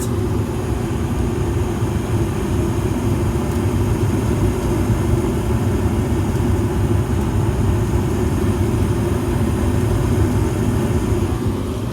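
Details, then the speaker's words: 2020 Evcon (rebranded Coleman) 65,000 BTU low-NOx gas furnace heating with burners lit and blower fan on. A steady, even low roar of air and flame with no knocks, rattles or squeals; normal operation. "i don't know if you guys can see the burners very well i'm sorry if you can't but uh here goes the gas line right here"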